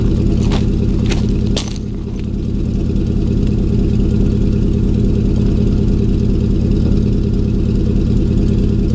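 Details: 2000 Chevy 4.8 V8 truck lightly revved with four coils deliberately unplugged, running on four of eight cylinders; heavy, lumpy low exhaust pulse that stays uneven through a brief blip.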